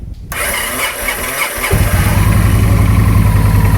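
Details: 2009 Victory Vision with an intermittent no-start in neutral (suspected neutral switch, ground path or starter solenoid), battery possibly low: the starter cranks briefly after the relay connector was wiggled, then the V-twin settles into a steady, even, loping idle.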